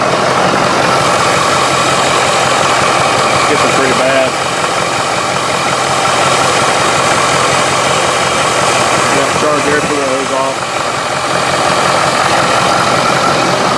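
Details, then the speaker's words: 6.7L diesel with diesel exhaust fluid (DEF) in the fuel tank, started briefly on fuel supply from a container: loud uneven stumbling clatter with no steady rhythm, not happy; rough idle from DEF-contaminated fuel. "we started doesn't sound very happy though see how fast while fuel is returning"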